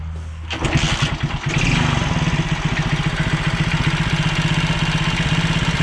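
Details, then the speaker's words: Alfa 110 single-cylinder after a new piston and rings were fitted to cure a knock like excessive valve clearance: it fires quickly and settles to an even, steady idle with the knock gone; normal idle. "Стук [музыка] прошёл, ушёл. Что-то проскакивает, но это уже непонятно"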